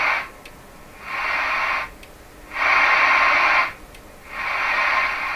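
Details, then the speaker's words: Johnson Messenger CB tube radio after replacing molded capacitors, receive test: clean hiss bursts opening and closing about every 1.5 s, no hum or crackle; radio works. "I'm just interested that the radio still works and the plate current is appropriate and stuff stuff like that"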